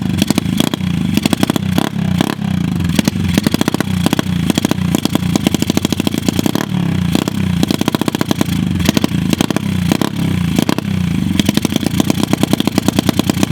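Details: Dirt bike recovered from a lake bottom, water-filled engine, after first start and an oil change: fast, rough popping exhaust rising and falling with throttle blips, running steadily; engine runs again, carb still needs tuning.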